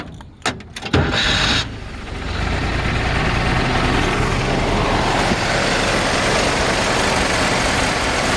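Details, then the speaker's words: 1968 Jeep CJ5 project: cranks and catches, then an uneven, lumpy idle with a ragged beat; carburetor sounds gunked up. "Carburetor sounds like it's gunked up. Needs a little work."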